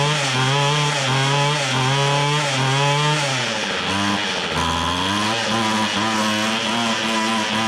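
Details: Free restored two-stroke weed trimmer, reversed fuel hoses corrected so it pumps gas; high buzzy wail rises and falls with throttle blips, picking up cleanly, now running properly on fuel.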